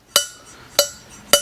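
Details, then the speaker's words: Cheap eBay Pro Comp aluminum cylinder heads after a three-angle valve job: three sharp single metallic clinks, each decaying cleanly with no chatter or rocking bounce. The valve slaps flat shut on its seat in one shot, seating cleanly. "if you hear you you know that sound of when it just slaps flat shut and it's making contact all the way around in one shot it's not going tin Tink Tin Tin from rocking it's just one"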